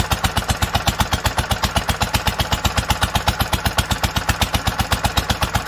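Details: 1946 International Harvester LBB 3-5 hp water-cooled single, first cold start: crisp evenly spaced pops about four a second, steady throughout; normal running.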